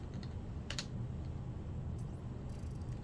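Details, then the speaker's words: Repaired Sega CD Model 1 drive: a few light mechanical clicks over a low hum as the laser sled returns forward after stopping a track search, with no grinding—normal sound after the repair. "Now let's stop it. Hear the laser come forward, no grinding."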